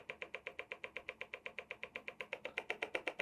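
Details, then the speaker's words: Evap system trainer purge valve, duty cycle turned up while back-probed on an oscilloscope: crisp even clicking about four per second, steady and sharp; purge valve cycling normally. "and so i'm going to turn up the duty cycle on the purge valve and you'll see you start hearing"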